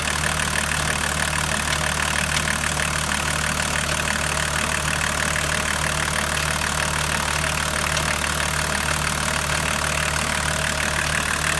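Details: BMW 525 TDS E34 diesel: idling with a regular sharp tapping near three per second riding over the clatter; abnormal engine noise, cause unclear.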